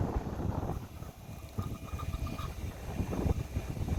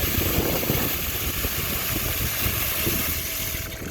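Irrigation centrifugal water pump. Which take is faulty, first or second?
first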